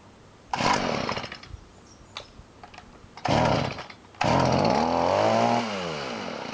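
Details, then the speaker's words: Stihl two-stroke weed trimmer after clearing a flooded engine caused by an over-pressured primer, primed and started on choke: a couple of pulls, then it catches and buzzes strongly, revs drop back smoothly to a steady idle; normal running. "all right it looks like the uh uh gasoline got successfully removed uh and that ended up clearing it"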